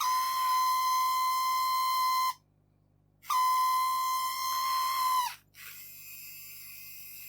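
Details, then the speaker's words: Addams Family Thing coin bank that was not grabbing coins. Its small drive motor was run after a few drops of IPA and before greasing. A steady high-pitched squeal holds about two seconds, cuts out, returns, then fades to a softer hiss. Dry motor squeal. "Well, it's not making the horrible noise now, right?"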